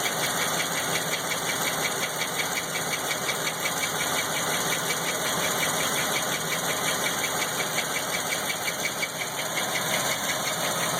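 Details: LT1 engine with unknown noise: light fairly regular tick about three per second over smooth idle, with a couple small revs; source unknown.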